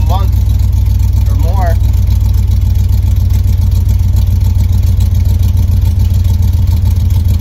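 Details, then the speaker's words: LS-swapped Chevy V8 with no transmission fitted, first run in about a month after VATS disable via TunerPro/LsDroid: deep steady rumble, even firing, no knocks, misses or surging; healthy idle. "so um yeah i wonder if it shall fire up [Music] wow i haven't heard that noise in like a month"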